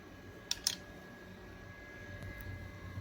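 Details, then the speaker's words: 1airbrush super quiet airbrush compressor at full power, camera close: faint steady low hum with soft fan-like hiss, a couple of handling clicks at start; normal running. "you could hear the sound from the compressor this is at full power"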